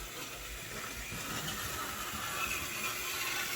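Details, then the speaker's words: Märklin 34988 KPEV P8 model steam locomotive climbing an incline, slower speed: fast light ratcheting clicks about three per second over motor whir; owner hopes it's nothing bad and suspects the coal tender, not the locomotive. "so noisy and I hope that noise is nothing bad but like I said I really think that is in the trailing coal wagon and not the locomotive itself"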